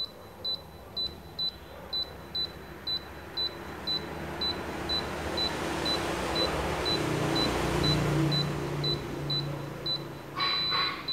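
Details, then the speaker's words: New-type Daikin R32 air conditioner unit not running, error check with the remote: short high beeps about twice a second, then one long beep at code 00, meaning no stored error. "00คือเสียงบี๊บดึงยาวถึงศูนย์Noและเครื่องไม่ทำงานเปิดเครื่องเป็นเวลานานจนคุณไม่ได้ใช้งานไม่มีอะไรผิดปกติ"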